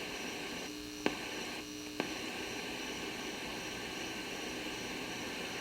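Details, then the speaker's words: 1971 JCPenney 1758 solid-state stereo traced with a 1950s tube signal tracer: a constant hiss over a faint hum, with probe clicks, heard only on one noisy leg of transistor 20. Noisy transistor stage. "okay so we hear it at the at this t piece i do not hear it at the end of this long snaky piece and i don't hear it on the toe right so transistor 20 has two silent legs and a noisy leg right there"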